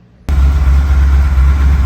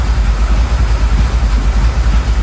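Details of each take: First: 1979 Ford Bronco 351M, outside idling and warming up before carburetor fine-tuning: deep, even idle with steady low rumble, no misses or knocks; sounding good though a little smoky. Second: 1979 Ford Bronco, 351M V8, idling and warming up outside before carburetor tuning: steady, even low burble around three beats a second, with an odd undertone that is hard to pin down; slightly smoky, cause not yet investigated.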